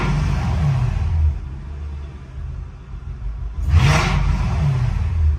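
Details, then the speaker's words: Mercedes E55 AMG automatic, solenoid, switch gear and plug already replaced: selected in drive, the engine revs rise and fall freely under throttle with no load or pull-away, and the transmission is not engaging. "it's just not going anywhere."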